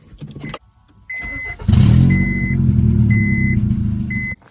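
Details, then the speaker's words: Slammed Honda Civic EM2/ES1 started after installing new headers and spark plugs, rest of exhaust stock: door chime, then a loud, raw, blatty idle rumble far louder than stock, pointing to an exhaust leak. "now we can give it a start and see if we did everything correctly you guys can hear how loud it is now"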